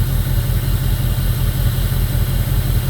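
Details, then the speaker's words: 2002 Jeep Grand Cherokee 4.7 HO V8 with melting coils, idling after a coil is unplugged and replugged: uneven lumpy pulse with a missing beat about twice a second; running on seven cylinders until restarted. "So, she's still only running on seven cylinders."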